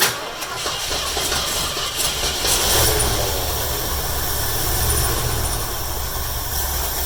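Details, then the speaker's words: 1972 Mercury Comet, small-block Ford 302, after new spark plugs and wires: uneven, lumpy idle with stumbling, shaking beat right after start; plug wires in wrong firing order, routing to be rechecked. "well it started but as you guys probably saw that firing orders obviously wrong that an engine was shaking like hell"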